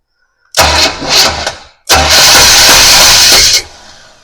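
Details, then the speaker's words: 1966 Pontiac Parisienne V8 with newly installed Edelbrock 4-barrel carb, intake and HEI distributor: two bursts of fast, uneven cranking that nearly catch then die, spitting flames; crank no start, fuel seen squirting, electrical fault later blamed. ">> Okay, be done. I don't know what's happening. >> It's right now though. >> Like it really wants to fire."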